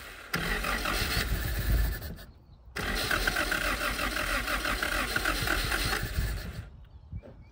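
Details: 1977 Honda Civic, last registered 1987, first start in 37 years with no fuel system, fuel dumped into the carburetor while cranking: catches and runs roughly a few seconds, then dies; firing only on poured fuel.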